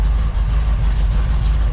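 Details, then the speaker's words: 1978 Ford Bronco, freshly rebuilt matching-number 351M V8 with Comp Cams 284HR hydraulic roller cam, new engine burning off, good temperature and high oil pressure: deep steady idle with mild lumpy cam beat, even and unbroken; healthy. "'s just been fully rebuilt with the big roller curb can't sleep this is what it's going to sound like in the curb"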